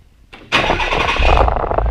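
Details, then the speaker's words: Nissan 300ZX twin turbo, cold start right after replacing the damaged cylinder 6 ignition coil: brief crank, catches and settles into an even, steady cold idle with no misfire stumble; idle issue thought to be intermittent. "Wow, so that's actually quite nice. I know it's still in the cold"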